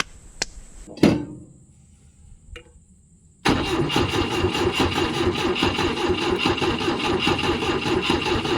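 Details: 1972 Volvo 145 four-cylinder, first start after purchase with fuel rigged and vacuum ports plugged: a few starter clicks, then it catches into a lumpy, uneven idle, firing on only two cylinders because plug wires were off, hence very hard starting.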